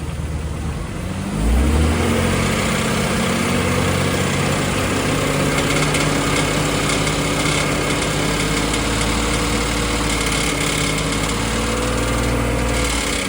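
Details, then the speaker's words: BMW X5 E53, M54 3.0i, slightly warmed engine: a brief rev to around 2000 rpm, then idle, with a faint uneven tapping/knock under the engine note from the cracked torque converter flexplate. "Но если немного нажать на газ, в районе 2.000 оборотов появляется вот этот вот стрикощий построенный звук от пластины. Давайте попедалируем, слушаем. Слышно, да? Такой прямо стучащийся."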